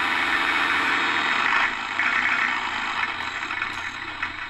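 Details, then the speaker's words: Accucraft Goose #2 after replacing a broken drive gear and oiling the motor shaft: the small motor hums at a steady pitch with a light, even gear whirr, no clicking or binding; the drive runs smoothly. "All right, we've fired up goose number 2. Let's see what she'll do now."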